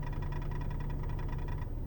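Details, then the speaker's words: 2008 Ford Taurus X wagon, 160,000 miles, at idle, heard from underneath: fast, faint, even ticking over the idle drone, unnoticed while driving, louder with the AC compressor on or in L; owner suspects the transmission. "you don't really notice it when you don't notice it at all when you're driving actually you only hear it when you're sitting at idle"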